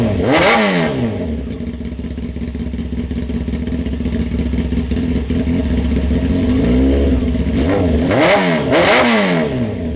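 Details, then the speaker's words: 1998 Honda CBR600 F3 with a corroded Yoshimura slip-on exhaust, before polishing. Engine catches, blips and drops back to a steady, even idle with a loud, crisp exhaust; runs cleanly with no misfire. "all right let's start this thing up too it sounds like loud exhaust"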